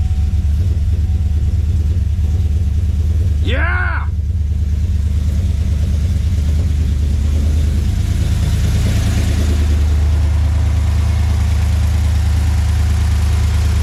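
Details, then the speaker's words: 2013 Chevrolet Silverado (GMT900) after 6.2 L V8 swap and fresh tune, just after first start: deep steady idle rumble, no knocking or tapping; about 45 psi oil pressure at idle, oil burning off headers, no leaks. "We got oil pressure. It is good to go. Got about 45 lbs sitting here at idle. Look at that idle."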